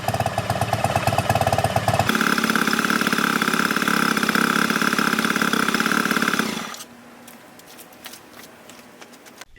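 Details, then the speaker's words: 2006 Honda 2 hp four-stroke outboard after its carburetor was cleaned and adjusted, now starting on one pull, run out of the water. A quick, even putter at about three and a half beats a second with a clean throttle change, then shutoff. Running properly. "now the engine starts with only one pulled and it is properly running time to take it and test it on the water"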